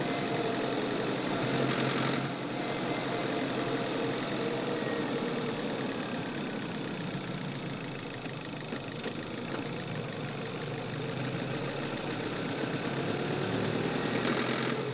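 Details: Manual car on a test drive, audio from the engine bay: engine pulls under acceleration with a faint, uneven rattling knock over the run; owner suspects fuel knock, not confirmed.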